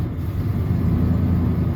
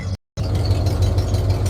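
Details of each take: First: 1996 Ford F250 light-duty, 326,000 miles, code P1351 traced to an incorrect ignition control module: rough lumpy idle with dropped beats, whole engine straight up misses, worse when driven; misfire at idle. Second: 1996 Ford F250 light duty, after fixing a bad misfire (P1351 code, incorrect ignition control module): low, steady idle rumble with an even beat and no skips. Misfire fixed, though a stored code remained before clearing.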